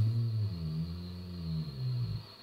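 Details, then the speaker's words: Zenith Trans-Oceanic Royal D7000Y radio during AM IF alignment, BFO slug adjustment: low wavering tone drifts in pitch then fades; BFO slightly off zero beat, beat note audible as slug shifts. "There we go, that's zero beat. If I go further, it starts picking up again. So I need to make sure I leave it where it's totally silent. As I take it out, it shifts a little"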